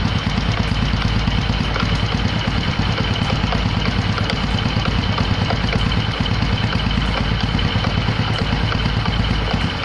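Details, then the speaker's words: Honda Supra X125 (KPH engine) after clutch housing ring fix and new clutch shoes, weak battery: rapid uneven rattle over lumpy idle, disappears when revved; suspected clutch one-way bearing, not confirmed. "Pas dinyalain ternyata masih bunyi gredeg."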